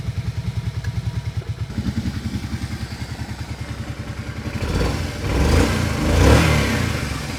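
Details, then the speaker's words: 2007 Kawasaki Brute Force 650 V-twin ATV, 218 hours, 689 miles, carbs likely never cleaned: uneven, lumpy idle with irregular pulses and lean pops; owner suspects a clogged pilot jet leaving one cylinder lean at idle. "Uh, but the thing that I noticed is that while idling, the idle was a bit erratic and actually I could hear it popping like a lean pop. So, if I had to guess, I'd say one of the pilot jets is clogged up and likely one of the cylinders is running lean at idle."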